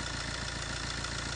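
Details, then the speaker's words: Fiat 1.3 Multijet diesel idle: fast busy metallic rattle over the clatter from the front of the engine; worn-out timing chain, tensioner at its limit, chain replacement needed. "zincir değişimi yapılması gerekiyor Siz de aracınızda böyle bir ses varsa zincir değişimi gelmiş demektir"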